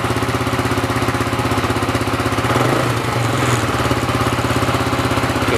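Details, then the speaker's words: RFS150i single-cylinder motorbike idling after fitting a racing ignition coil, loud exhaust with silencer fitted: quick, even putter with a brief blip midway, no misfire or knock; runs smoothly. "Pakai silencer dah siap. Ni ada silencer ni. Exhaust ni memang kuat, tapi aku letak silencer."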